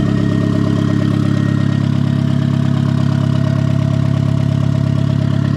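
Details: Turbo Miata just after first start with brand-new bearings, good oil pressure and air-fuel ratio: steady even idle with a thin, constant high-pitched hum over it; origin unknown, owner thinks it may just be the turbo.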